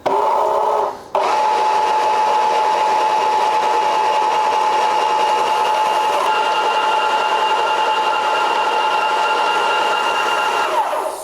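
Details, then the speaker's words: Graco 695 Hi-Boy Ultra Max II airless sprayer priming water back into bucket, switch on prime, pressure turned up; steady even motor tone about ten seconds, then winds down. Normal pump priming. "So what we would do is we'd flick the switch over to prime, which you'll see on here, crank the pressure up, and you'll hear these noises."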